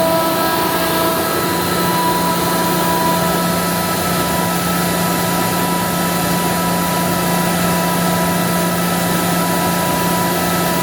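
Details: Ingersoll Rand SSR-EP60 60HP air-cooled rotary screw compressor, 98,485 run hours, set to modulate, tank at about 85 PSI, covers off: steady even drone and constant hum, no knocking, rattling or surging; healthy under load.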